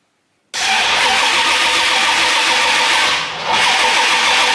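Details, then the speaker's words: Freshly rebuilt Mustang after 7-year restoration: starter cranks steadily for several seconds without catching; cause is the distributor set in out of phase on reinstallation. "so I know what the problem is when I set the distributor back in for the second time and I what they call phase the distributor"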